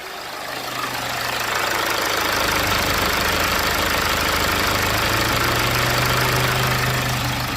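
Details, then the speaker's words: 2008 BMW E60 520d diesel, idling warm after limp-mode and high-temperature complaints: the radiator fan runs constantly with a loud rush that speeds up and slows, rising near 106 degrees as the reading fluctuates; a faulty temperature sensor is suspected. "constantly running and he's going like up and down up and down speeding up and slowing down and it speeds up when it gets to about 106 degrees"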